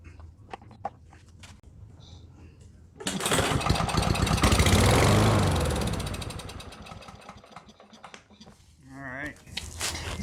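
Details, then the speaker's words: Broken lawn mower during triage, no fuel in the tank, running only on starter fluid sprayed past the choke flap: cord rattle, catches, rising roar for a few seconds, then fades and dies. Owner thinks it may need a carb clean. "You still have to fire it up, and then ran off of the starter fluid I put in there because there's no fluid in the tank."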